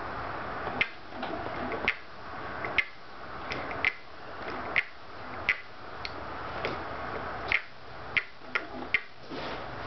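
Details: Scotts steering damper on higher settings with the bars forced against it: sharp, irregular creaking clicks about once a second, felt through the damper as if something is binding; cause unknown.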